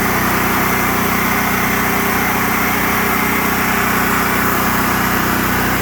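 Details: After carburetor cleaning and fuel system flush, a nearly new Generac RS8000E electric-start generator (2.9 hours) that had been surging now runs with one steady, constant hum and no hunting. Normal steady running, surging fixed.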